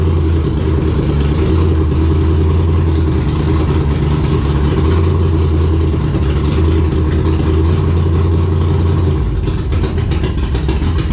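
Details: Race car Intimidator, big V8 with open headers, after fixing stalling problem: steady deep idle, even beats, note shifts near end, runs cleanly; normal V8 idle.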